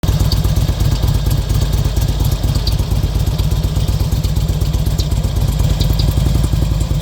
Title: Bruit Moteur RK Classic 2005